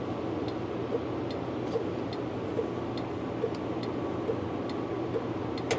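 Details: 1958 Plymouth during wiring build, turn signals tested: crisp, even flasher clicks about every 0.85 seconds, roughly seventy a minute, over a quiet idle; the flasher is working properly.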